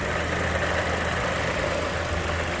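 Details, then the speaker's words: 2015 Chevy Cruze after valve cover with PCV valve replaced for whistle and check engine light, fuel trims reset: steady, even low hum at idle with no whistle, miss or tapping; running smoothly. "we did a reset on the check engine light but that also wouldn't come back on until we complete a drive cycle even if there was an issue and sounds like it's running pretty smooth"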